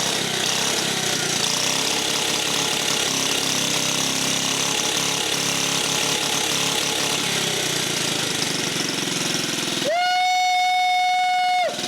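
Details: Rare 1950 REO single-cylinder small engine, first run after revival, air cleaner off: fast, loud, busy chatter running steadily without stumbling, clear tone near the end; running normally.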